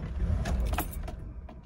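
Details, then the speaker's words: Mercedes W126 560SEL (3/89) after swapping in a genuine MB ECU and fuel cut-off relay: the engine catches in a short ragged burst, then sags and dies within a second; fault now suspected in the EZL or crankshaft position sensor. "see so it did not fix the issue yeah so this is pointing now towards the ezl unit we changed the fuel cutoff relay and uh so this is where the problem is actually coming from this is a problem coming out of the ezl"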